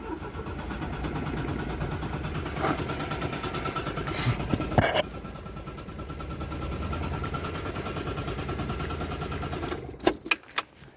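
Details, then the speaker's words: 1974 Citroën GS Spécial, long stored, first ignition in years while on jack stands with the choke connected: the starter churns and the engine spins freely but never fires. Fuel delivery is unverified. "Spins around pretty free, but we need to see if it I would like to have a look in here. Does it actually get fuel?"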